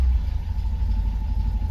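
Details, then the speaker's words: 1974 MGB GT after 7–8 months sitting, warm day, running without choke: steady even low burble, no misses or knocks; normal idle, owner thinks probably running a bit rich. "she still runs without choke. I mean, it's quite warm today and she's probably running a bit rich, but yeah, she's back and running again."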